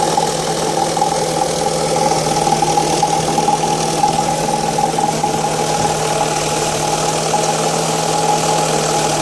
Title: Strange engine noise during cold start (1.8 Fiat Stilo Petrol)